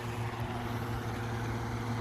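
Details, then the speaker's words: New whole-house attic fan in a 1914 craftsman bungalow, running before the rain-shield cover is fitted: constant low motor hum with steady airflow rush, mild vibration felt in the roof, no grinding or squeal; normal running. "it is blowing out a lot it'll probably decrease cfm when i put the cover on"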